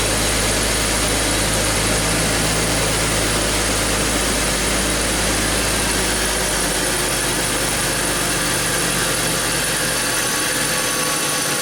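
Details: BMW X5 with a misfire under diagnosis, scope probes on all six ignition coils and a pressure sensor in the dipstick tube: steady, even low hum with no stumbles or misses; the engine is running smoothly at idle.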